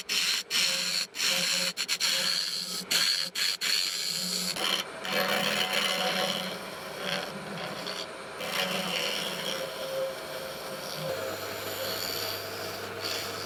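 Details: Lathe turning a pine-cone epoxy resin blank: scratchy uneven rasping and scraping as the carbide-tipped tool rubs rather than cuts cleanly; carbide tip blunt.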